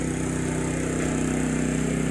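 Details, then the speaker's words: Champion 200961 2500-watt dual-fuel inverter generator on propane, powering an air conditioner and other loads, owner estimates near its 1650–1750 running-watt limit: steady, even low hum without surging or misses; normal running under load. "Humming right along. Alright, I figure I'm getting close to the 1750 running watts, or 1650 running watts on propane, I think it is."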